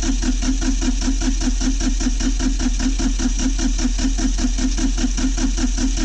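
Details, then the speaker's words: Kioti CK20HS diesel tractor after glow plug warm-up: slow, even cranking at about 2.5 beats per second never catches. Owner suspects lost prime and air in the fuel system after sitting, and cracks injectors to purge it. "I'm going to crack the injectors and see if we're getting any flow. Push the air out of the system."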